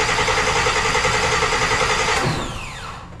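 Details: Engine's test crank with no gas in tank, fluids filled, building oil pressure: even cranking about three and a half beats a second with steady compressions, then starter winds down; normal cranking.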